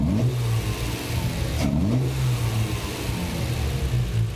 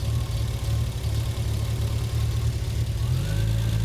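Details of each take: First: Triumph TR6 with Patton Machine TBI fuel injection after ECU memory reset, temporary collapsing hose fitted: revs climb and fall quickly with each blip, no hesitation, settling smoothly as ECU has learned; normal throttle response. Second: Triumph TR6 with Patton Machine TBI fuel injection during tune-up, while ignition timing is being set around 950–1100 rpm: a steady low idle hum climbs in speed with no throttle input, an erratic idle wandering on its own, cause not yet known.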